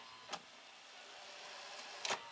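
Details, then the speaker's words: Toshiba AH-350 Betamax VCR (Beta II/III) rewinding after its belts and a roller were replaced: a fast, even hiss of tape spooling with a few light clicks and no drag or squeal. The reel drive rewinds freely and normally. "wow look at her go now fast forward look at that rewinds and fast forwards like a dream"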